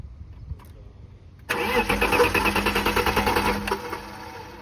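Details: BMW E36 crank, no start: the starter turns the engine over in a steady chug of about three beats per second, but it never catches or fires.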